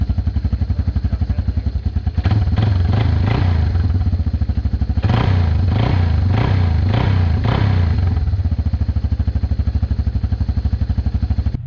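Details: 1996 Yamaha Timberwolf 250 ATV single-cylinder, after fuel system cleaned and bad gas drained (previously wouldn't stay running): steady idle thump, two throttle blips, settles back; starts and runs fine.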